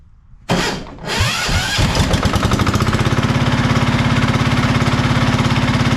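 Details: Marketplace diesel generator of unknown condition, tested after reassembly: engine cranks, catches and settles into steady even chug with regular firing pulses, no knocks or misses; engine runs well but generator still makes no power.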